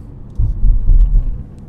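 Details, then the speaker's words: 2017 Hyundai Elantra after new short block and machined cylinder head, pulling gently from a stop: smooth, deep engine rumble with no tick or valve-train knock; cylinder 3 misfire seen earlier. "so from a stop I'm gonna go accurate a little bit yeah so far there's no noise"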